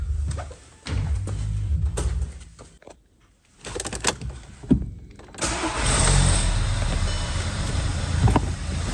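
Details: Audi A1 1.4 TFSI (CAXA four-cylinder petrol), started after a new Mann WK69 fuel filter was fitted and the ignition cycled to purge air: a few uneven bursts on cranking, then a steady even idle with no misfire. Normal start and idle.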